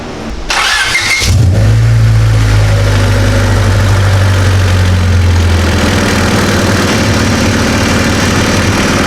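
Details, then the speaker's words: Slammed EK Honda Civic sedan started after an exhaust leak was patched with sealer, to run it about 20 minutes through a heat cycle so the patch seals: short starter whir, then an even low idle with no ticking or puffing; normal start. "Jordan's climbing up there to start it up, give it its heat cycle."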